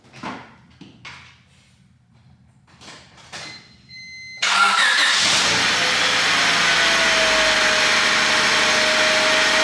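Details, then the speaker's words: 1997 Honda Civic coupe after finally fixing a long-standing hidden exhaust leak: handling clicks and a chime, then engine catches and settles into a steady, even idle, quieter than before. "I have not heard this thing without that giant exhaust leak so it's been there since I got it so I'm excited to hear how quiet it is"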